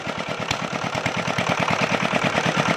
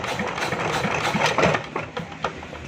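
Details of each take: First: Chinese JD 8 hp single-cylinder diesel generator with a starting problem, after fuel line fittings tightened and injector nozzle working again: fires up into a fast, even knocking beat around three per second; starts and runs properly. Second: China JD 8 hp diesel generator with starting problem, pulled over; short uneven chuffs but never catches, cranks but will not start.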